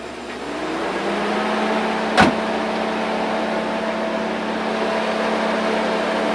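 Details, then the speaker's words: 2011 Chevrolet Suburban V8 just after all eight spark plugs were replaced. It started right up with no codes and holds a smooth, even idle with a constant mid-pitched tone and no misses or knocks. "now I'm gonna go ahead and give it a start make sure I don't have any codes and everything sounds good"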